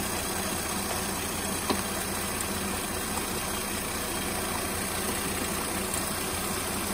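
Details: 2007 Mercedes-Benz (350), idling: loud airplane-like rush as electric cooling fan runs with 0% requested in live data and no fault code; 06-07 Mercedes engine control modules typically faulty, CAN bus communication also possible.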